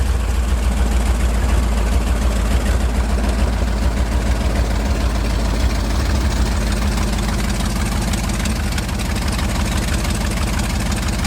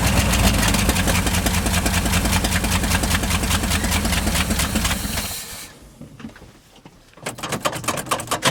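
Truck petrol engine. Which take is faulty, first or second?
second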